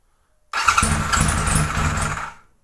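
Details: 1978 Kawasaki Z1-R four-cylinder, carbs just installed and being tuned, no enricher on: it catches and runs about two seconds with a low, lumpy, faltering beat before dying away because the idle speed is set too low.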